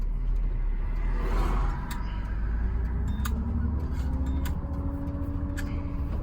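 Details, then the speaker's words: GM 4104 bus on a test drive, warm, after a transmission swap (bad bevel gear had caused a loud whine), new clutch, rear main seal and swapped worn clevis pins. Low, even road rumble with no gear whine, about 90% quieter. "well I can tell you the ride in here is 90% quieter yeah it'd be roaring right now"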